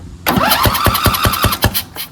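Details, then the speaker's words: Craftsman DLT2000 lawn tractor cranking on test battery: sharp irregular pops about five a second, coughing without catching; owner suspects blown head gasket, not confirmed. "Yeah. It's got some kind of blown something right there. Blown gasket? Head gasket? You hear the popping. That's not normal."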